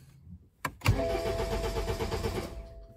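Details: BMW E87 with fault codes 4680/41AA/4AFB, start/stop not working, goes into limp mode: starter cranks steadily about two seconds but engine never fires. Crank no start.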